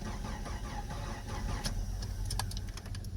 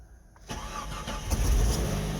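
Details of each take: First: Jeep Comanche, towed in with driveline disconnected, first key try: starter turns engine over at a steady even churn but it never fires; crank no start, no spark. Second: Jeep Comanche: near silence, short crank, then engine fires and settles into a steady even idle; starts cleanly.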